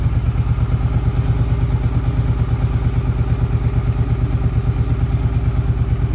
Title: Ticking sound 2008 Suzuki Boulevard C50